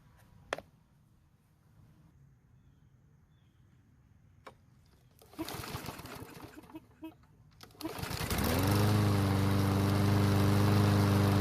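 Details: Yard Machine mower that would not start after winter storage, after line and choke checks and filter reassembly with fresh gasoline: catches near the end and settles into a steady drone. Light smoke and oil mist from the muffler, likely too much oil. Normal running.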